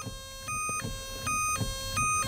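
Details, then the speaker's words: 1990 Chevy C1500, circuit tester back-probing the white wire at the brake light switch for trailer brake controller install: steady electronic tone stepping in pitch, sounding power when the brake pedal is pressed; wire live. "I'm back probing that white wire I hit the pedal that goes power"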